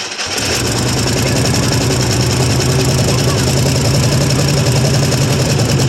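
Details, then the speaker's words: 1974 International 200 two-wheel-drive pickup with a once-seized engine, first start after about 25 years; catches into a loud, lumpy, uneven idle. Owner thinks one or two cylinders have no compression; it smokes heavily, probably from fluid in the cylinders. "When it turns over, it almost sounds like it's got not any compression on one or two of them."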